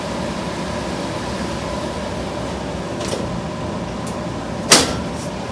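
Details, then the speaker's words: Miller trailer-house furnace after blower repair, squirrel cage re-centered: strong, even air rush over smooth motor hum, no rattle, squeal or wobble; blowing harder than before, normal. "very nice blowing much harder [Music] much harder than even the repaired one that i had in there before so i'm good with that i like it"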